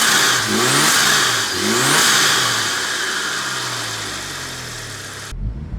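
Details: Car with newly fitted TD04 turbo, first start from cold with a bit of smoke; revs up twice cleanly with rising spool whistle, then settles to smooth idle, runs fine.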